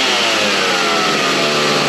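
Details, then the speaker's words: Stihl 029 Farm Boss chainsaw after cleanup and tune-up for failure to shut off; high, buzzy two-stroke note holds steady, no stumbling, surging or cutting out, running healthy. "Out all right com through bam look at that works like a champ all right I'm super excited having this thing back in Action it has been down for way too long"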